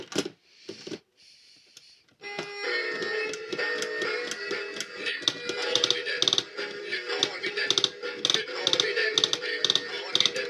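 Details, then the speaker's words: Rocky the singing lobster toy, Swedish version, after repair: sharp clicks about twice a second through the song as the mechanism runs; a broken crown gear in poorly made gears that split easily. "And so as you see, he has a crown gear broken. And the uh his gears are poorly made and his gears split very easily. As you can hear by the clicking of the crown gear inside."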